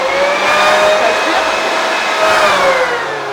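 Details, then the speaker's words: Street-salvaged, like-new blower-vacuum plugged in and tested: steady high-pitched motor whine with airflow rush at constant pitch, no rattles or stutter; it sucks well, likely missing a nozzle for blowing. Normal running. "Ça aspire, impec."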